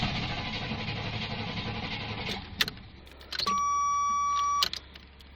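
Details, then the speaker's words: Fuel-injected gasoline Suburban (first year of that injection system, known problems) cranks for a couple of seconds without firing, then a chime; ran earlier on ether, likely out of gas, no start. "it it it's saying it wants to go but yeah it's a lost cause it's not a diesel that's why it's not running"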